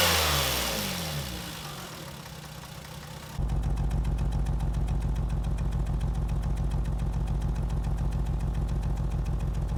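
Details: Lexus IS200 losing coolant and overheated runs with a lumpy misfire of three to four uneven pulses a second, codes P0300, P0301, P0302, P2248; cylinder 3 coil was replaced, and a failed sniff test suggests a likely head gasket failure.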